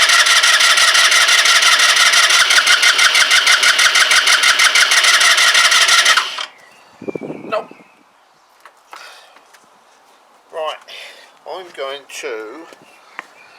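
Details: Kymco Agility 125 scooter, long unused, fuel about to be squirted down the plug hole: even starter churn at about three turns a second for six seconds without a single firing stroke; cranks but no spark.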